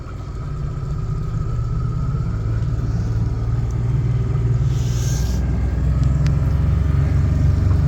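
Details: Boat's inboard engine on its first run after a marine engineer's repair: deep, even rumble that builds smoothly as the throttle opens, with no knocks or misses; sounds healthy.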